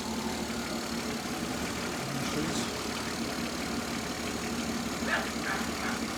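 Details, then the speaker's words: 1967 Mustang V8 with Holley Sniper 1100 EFI after professional tune (ran shaky since timing chain replacement), warm, mic near exhaust: fairly even low rumble, slight surging; normal warm idle, much smoother than before. "Seems to be running pretty good. Much smoother than she was before."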